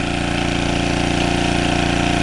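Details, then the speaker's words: Early-1980s Generac S1500 portable generator on a cold day, finally started after starting fluid and gas were poured in. Steady, even single-cylinder drone with no misses, running smoothly under no load. "well we're in business so what I'm going to do I'm going to let that run for a little bit"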